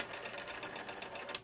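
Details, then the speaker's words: Western Electric 5 rotary phone dial, claimed serviced but apparently never touched: about eleven crisp, raspy clicks at roughly eight per second as it returns, a harsh ratchet from the dry, unserviced dial. "this is a five dial and if you ask me it's never been touched although it supposedly was"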